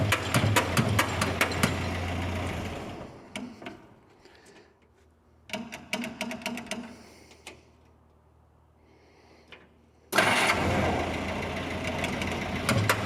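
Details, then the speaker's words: 1946 Jeep CJ2A with a clutch that won't disengage, started in third gear, high range. Bursts of rapid even cranking chuffs with pauses, never catching. Fuel starvation: the fuel filter gets no fuel and the new fuel pump with a hand lever doesn't seem to be pumping. "Look at that. Our fuel filter is not getting fuel. What the heck's going on here?"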